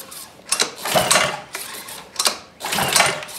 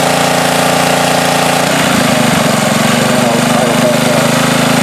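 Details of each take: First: Ryobi pressure washer with a Honda easy-start engine, about a year old, stored outdoors, choke on and a full tank. Several rasping pull-cord pulls and it never catches. No-start suspected from a carburetor gummed up by old ethanol fuel. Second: Ryobi pressure washer with Honda engine after off-season no-start, carburetor cleaned, no parts: water hooked up, engine holds steady speed as pump load comes on and off, no misses or surging; runs good.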